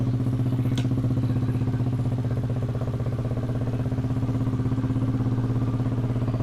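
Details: Yamaha Aerox scooter after repairing a faulty body/ground cable that caused a total no-start, battery 12.5 V: steady idle, about four even firing pulses a second, low smooth thrum, no knocks; running normally.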